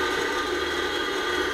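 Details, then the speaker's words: Centrifugal pump at nearly 4 bar with the valve opened, running at the end of its pump curve: steady hissing rush with fast gravelly ticking like marbles in the pump casing, from cavitation. "pump is running at the end of his curve and you can clearly hear the ticking sound like marbles in the pump house."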